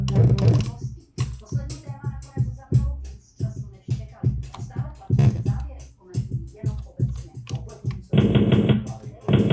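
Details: Sound Blaster CT1740 playing Wolfenstein 3D music with a rough, scratchy noise caused by the failing CT1701 DAC; replacing it with a CT1703-T DAC removed the noise.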